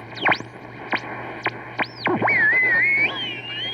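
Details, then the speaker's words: 1939 Emerson radio being restored, playing AM: music with swooping, theremin-like warbles sliding up and down over a low steady hum; distorted audio, bad AVC capacitor suspected, not confirmed. "that sounds like a bad avc capacitor to me check this noise out oh okay this is probably it"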